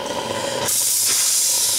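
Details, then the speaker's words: RC steam boiler stored 20+ years in a cupboard, restarted with a doubled regulator spring and a Teflon-wrapped gas regulator olive; the steam valve opens and a loud, steady high hiss rises sharply as steam escapes freely. "la vapeur va tomber voilà l'impression attendait et vous l'entendez siffler un bon départ"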